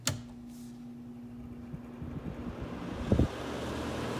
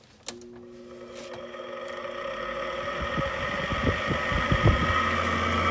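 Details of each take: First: 2014 Frigidaire air conditioner on low fan after fan motor swap and deep cleaning, previously noisy bearings: soft steady low hum, no rattle or bearing whine; normal fan running. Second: 2014 Frigidaire air conditioner with King Yang compressor, removed from case, old fan motor on low fan: rising hum with quick uneven ticking rattle about three a second, worsened after washing; worn fan motor bearings, motor swapped.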